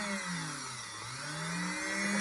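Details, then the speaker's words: Singer 500 series Slant-O-Matic sewing machine motor, over-oiled and run slow after long storage, reconditioned by running at full foot control for about 12 minutes until smoke cleared; now a smooth, steady hum at top speed, no labouring. "you can hear it right now it's cooking that is top speed and before we barely barely had any RPMs at all"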